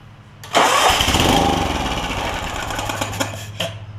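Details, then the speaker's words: John Deere LX172 mower, Kawasaki FC420V, with a loud backfire when starting: with the carb off and carb cleaner sprayed into the intake, it cranks and runs briefly and roughly with no backfire. "sprayed a little bit of carb cleaner in and then I crank it up and you can see it's running when you spray carb spray in the intake it hasn't tried to backfire"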